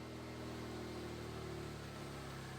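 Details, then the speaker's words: Turbocharged Suzuki Jimny with 3-inch lift idling; owner reports no transmission or gearing problems, starts nicely, no weird noises; quiet, even idle with steady low hum, no knocks, ticks or misses: normal idle. "Everything's fine. No weird noises or anything. It runs very well. Starts up very nicely."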